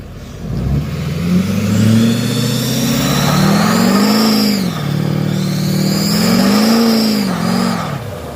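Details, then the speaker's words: 2007 Duramax LBZ diesel truck, tuned, SDP deleted, MBRP 4" exhaust and downpipe: a high screech rises and falls with revs on every pull under boost; exhaust leak confirmed at the up-pipe gaskets. "we got some weird type of booths Lee slash exhaust leak every time we build up some boots and get on it there's a really loud screeching sound so we're thinking that it's the UH pipe gasps gets you to the top of the bottom"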